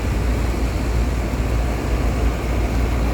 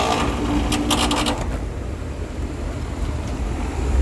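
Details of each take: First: Air conditioner condenser on a no-cooling call, bumped on after the contactor was replaced, with supply at 240 V. A steady low hum and airy fan rush hold even throughout, with no rattles or stutter. Normal running. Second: Air conditioner condenser on a no-cooling call, turned back on after the contactor was replaced, with supply at 237–240 V. It kicks on with rattly clatter for about a second, then settles into a steady low hum. A rough start after sitting off; low charge suspected, not confirmed.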